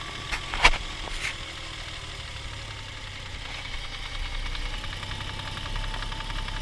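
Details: Toyota 1G-FE (Altezza / Lexus IS200/IS300), fully warmed, hot idle: light, quick ticking knock steady with engine speed, rattling from the front under the timing cover. No sound when cold; owner suspects the VVT clutch, not confirmed.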